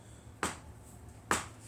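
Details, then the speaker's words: Englander NC30 wood stove heating from a cold start, minutes after lighting: two sharp metallic ticks about a second apart in a quiet room, normal expansion ticking as heat rises in the firebox. "as you hear the tinking sound or the crackling sound in the stove, you know it's starting to heat up."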